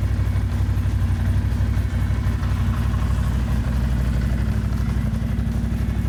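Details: 2002 Ducati Monster 750 after oil change with 3 quarts and AMSOIL filter, cold on choke, Remus exhausts: lumpy but regular V-twin beat at steady fast idle, no ticking or knocking; running normally.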